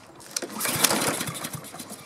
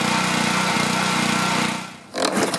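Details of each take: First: Husqvarna self-propelled mower with a Honda engine that the owner couldn't start. Quick recoil pulls give short uneven chuffs that never catch: cranking no-start. It was later traced to an electrical fault with no spark, not fuel. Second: Honda engine on a self-propelled Husqvarna mower, after the no-start was traced to a no-spark electrical fault and repaired: it cranks, catches after a couple of seconds, then settles into a steady, even single-cylinder drone with no misses. Running normally.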